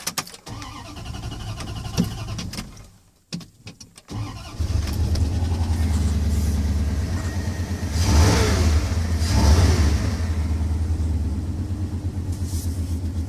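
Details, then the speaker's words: Truck that sat 4 years unrun, restarted after charging the battery and since tuned up; low on fuel. Cranks and catches at once, then a steady idle with two clean, even throttle blips, purring smoothly and sounding healthy. "Oh, she purrs nice though, don't she?"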